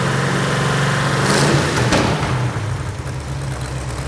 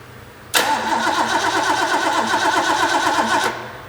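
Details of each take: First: all right well we got the engine running got it warmed up real good and if you could hear it you could hear the headers leaking Second: Rebuilt Ford 351 Cleveland V8 from a 1972 De Tomaso Pantera, after correcting timing that was 180 degrees out: quick crank, clean catch and a firm, even rumble; normal start and run, warmed up, with cheap header gaskets leaking.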